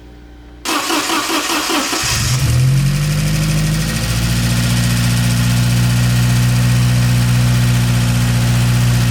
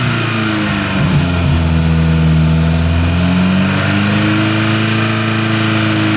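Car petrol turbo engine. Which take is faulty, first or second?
first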